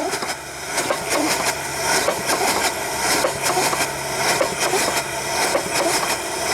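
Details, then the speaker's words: Soule steam engine, a basket case on its first run in years with oil coming out. Slow chuffing around fifty a minute, uneven in strength and spacing; running but rough, not as well as it should. "It's not running nearly as good as it should, but it's running."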